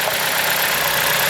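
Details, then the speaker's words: 2007 Chrysler Sebring idling after replacing the hardened, leaking valve cover gasket and the belt: short burst of even, steady idle with smooth hiss, no knocks or misses, valve cover dry; normal idle. "So what do you think, guys? The car is running. It sounds good."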